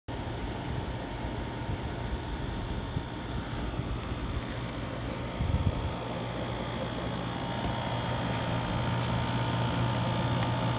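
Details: Dometic RV rooftop air conditioner running with a loud coarse low buzz from compressor plumbing vibrating against the unit; fixed by wedging foam behind the hot lines.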